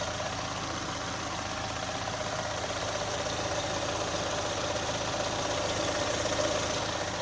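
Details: 2018 Chevrolet Onix LT 1.0, bought under 3 months ago, quiet idle with light regular tick about four per second; valvetrain suspected, owner links it to GM's quiet intake valve and lock replacement, unconfirmed.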